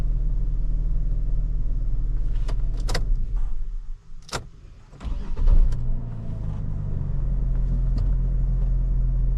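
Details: 2009 Saab 9-7X (Trailblazer-type) no-start case, after PCM programming and during crankshaft relearn: low, steady engine hum with even beat and a couple of brief clicks; engine idles smoothly.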